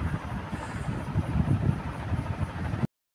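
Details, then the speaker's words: Ceiling fan after bearing service: soft low whoosh of air, no grinding or ticking from the bearings; the loud noise that kept the owner awake at night is gone. "Alhamdulillah sekarang dah tak ada bunyi eh. Dah tak ada bunyi bis. Hanya bunyi angin kipas berpusing tu."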